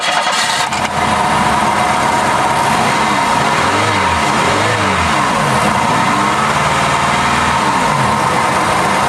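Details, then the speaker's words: 1996 Pontiac Sunfire after used fuel injector swap, plug and wire reinstalled: idle with uneven stumbling beat, one cylinder missing; no fuel leaks; suspected plug fouled by earlier injector leak-down, unconfirmed. "I don't see any fuel leaks, but she's still misfiring. It could be a bad plug."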